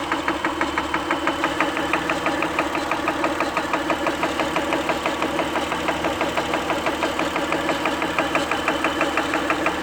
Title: Ticking noise Acura help!